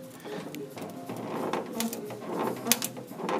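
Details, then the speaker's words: 1977 Pontiac Trans Am Y82 before restoration: irregular creaks and squeaks in time with the body being rocked; the rocker panel and floor section are not attached after a previous shop left the work incomplete; loose rocker panel creak. "you can hear that freaking that's what I heard from standing up here and like moving the car back and forth and I was a standing inside it too and I could hear here at Creek and so I knew something was not right"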